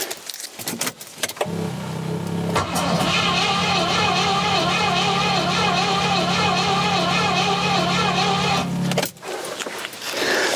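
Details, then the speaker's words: Rover P6 with a 4.6 V8 being cranked for a compression test: long, harsh grating whirr over the starter drone with no start. "now nothing but a horrible noise when we cranked it let's crank it and see if anything good happens there"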